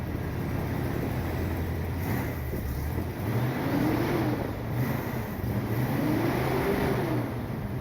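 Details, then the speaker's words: 1979 Corvette V8 after fitting glasspack mufflers, choke not hooked up: mild, low throaty idle rumble with gentle blips, sounding better than before; slight exhaust leak on one side, no lifter noise. "Sounds better than before. Not very loud, but it's got a little rumble to it."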